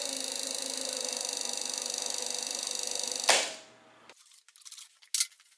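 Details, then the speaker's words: Shopsmith Mark V mounted thickness planer feed motor running: steady high whir with fast even ticking about twenty per second until shutoff; owner unsure whether clicking is normal or a motor condition issue: clicking while running. "in just a few moments i'm going to turn on the feed motor and you'll hear some clicking sound i'm not sure if that's normal or not or if it indicates that there's a possible condition issue with this motor"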